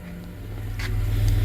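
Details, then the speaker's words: 1991 Dodge Grand Caravan SE, revived after sitting since 2003, with newly installed muffler exhaust kit: low, steady, even rumble, no ticking, rasping or exhaust blowing; quiet, healthy idle, motor purring. "You can't even hear it running. It's quiet as can be. Nice. Yeah, listen to that motor purr."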